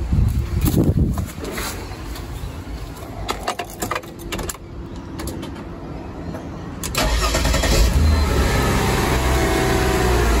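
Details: Mercedes ML320 that would not start, after remelting cracked, dry solder joints on a circuit board's top plug: handling noises, then the engine cranks briefly, catches cleanly and settles into a steady, even idle. Normal start after repair.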